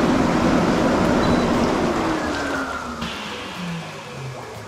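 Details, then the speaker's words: MSpa Alpine Delight inflatable hot tub, 4-person, 1.58 m x 1.58 m, water heated to about 40 °C, bubble function running: a loud, steady rush of air and bubbling, then the blower hum winds down; normal operation, just noisy. "Vous devez avoir entendu le volume? Ce n'était pas calme. Vous pouvez entendre la fonction de bulle."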